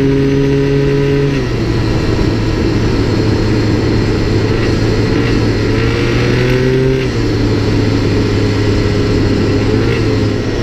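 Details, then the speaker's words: Minarelli two-stroke scooter engine with spark knock (detonation) at part throttle and while changing throttle positions: buzzing through throttle changes with a light, high-pitched rattle. "hopefully you were able to hear it please remember that it may sound a bit different in different engines or circumstances this was a two-stroke sometimes it sounds more high pitched in Two Strokes my fourstroke scooters tend to sound deeper more like marbles rattling in the engine"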